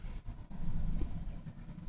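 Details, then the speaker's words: Nissan Sentra 2.5 after replacing the ignition coil for a P0301 cylinder 1 misfire, on a hot day: a low, steady idle with an even rumble and no sputtering or misfires. "all right no more sputtering so far is running pretty good no misfires excellent and that's what we want to hear"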